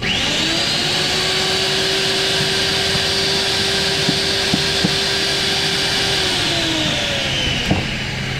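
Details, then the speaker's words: Eco magnet drill after fitting a new motor and new motor bearings, test run with magnet on: even high whir at constant pitch, winding down cleanly with no grinding or bearing rumble; feels brand new. "Very happy. Brand new feel in this one. And bearings, motor bearings, and work good."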